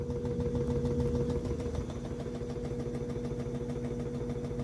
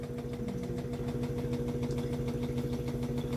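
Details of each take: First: Samsung inverter top-load washer WA15J6750S, two years old, that would not finish its wash program: steady, even motor hum with a constant tone and no thumping or knocking; spinning smoothly. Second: Samsung Inverter top-load washer WA15J6750S, 2 years old, that would not finish its program; new shock absorbers already fitted. Rhythmic thumping about twice a second over a steady motor hum on spin. The washer is not level and rocks on a short leg, shimmed with paper/wood.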